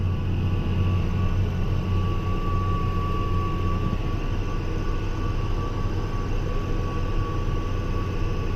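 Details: Case 305 tractor disking old wheat and rye ground under load: steady low diesel drone, even pull, no manifold tick after new exhaust manifold gaskets fixed ticking; a faint chirpy sound under load remains, source unknown.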